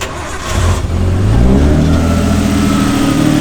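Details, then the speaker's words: R32 Skyline RB20 restarted after stalling, not yet warmed up: it fires, revs briefly, then settles to a smooth, steady idle with no misfire, its smoothest yet, though it died again afterward. "That is the healthiest that this RB20 has ever sounded, and it's running smoother than it's ever ran before."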